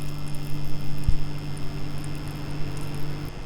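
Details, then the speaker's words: Zotac GTX 1060 graphics card fitted with a Kraken G12 and AIO cooler, pump and fan on a fan hub, powered on: steady, even low hum with a faint high whine, no ticks or rattles; fans and pump working. "the fans are working the pump is working but i had to sacrifice my rgb"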